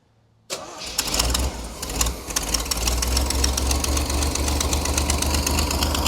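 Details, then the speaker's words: Vintage flat fender Jeep with Sniper 2 EFI after a new vented, baffled tank with in-tank fuel pump, fitted to fix fuel delivery and aeration problems: catches almost instantly and settles into a steady idle, fuel pressure about 60, no leaks; normal start. "I got an issue here it's figure that out but uh it starts right up we got 60"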